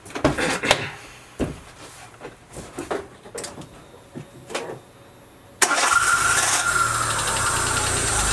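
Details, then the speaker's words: Daewoo Matiz that arrived on a tow rope, intake hose removed: handling clatter, cranks and barely starts into a loud, rough, unstable run with irregular rapping and heavy smoke; knock cause undiagnosed. "Ну, в общем, вы услышали, довольно нестабильная работа. Завелась она вообще каким-то чудом."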